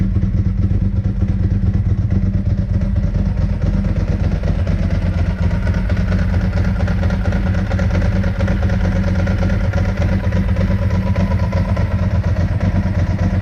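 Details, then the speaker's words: 2002 Ducati 748, crashed and neglected, first start after fuel pump and sender wiring repair, new internal fuel hoses, water-contaminated fuel: lumpy but even V-twin idle, light throttle blips pick up cleanly; runs smoothly and sounds healthy. "will it run successful um sounds really nice very happy with it"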